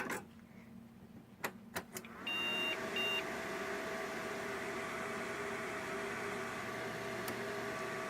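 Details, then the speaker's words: Dead HP Pavilion A320n with Asus motherboard, powered on with RAM removed: a few clicks, fans spin up, then two short high beeps; board signalling no memory detected, so not totally dead. "I don't think this is a legal configuration though now doesn't look like it's gonna do anything else"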